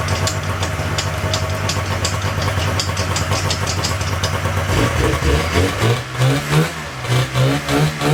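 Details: 1997 Polaris Indy Classic two-stroke barn-find snowmobile on new hoses and fresh, thickly oil-mixed gas: lumpy burble settling into a rhythmic loping idle, running rich but steady; running fine, judged a good running machine.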